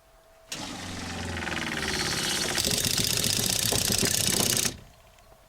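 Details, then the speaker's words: Newly fitted FlowJet RV trailer water pump, replacing a failing SureFlow 40 psi pump with squeaky bearings, test-run before mounting. It gives a quick, even buzzing chatter of about four pulses a second and shuts off cleanly. Quiet, normal pump operation. "You guys gotta hear how quiet this puppy is."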